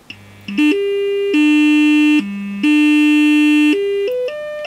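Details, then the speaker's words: Samsung UA40D6000 40" TV speaker driven with test tones at ~5-10 V, stepping 100-400 Hz: clean except at 300 Hz, harsh buzzing raspberry rattle; blown speaker, to be replaced. "can you hear that really noisy raspberry one that's 300 Hertz"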